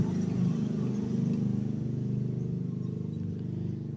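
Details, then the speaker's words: Honda Vario 125 scooter restarted after repairing the TPS (throttle position sensor) that caused the MIL to blink 8 times; the MIL no longer blinks and the engine idles at an even, low putter with no misses. Normal idle. "start kembali motor sudah tidak nampak lagi lampu mil berkedip yang menandakan ada error pada sistem Ecu motor"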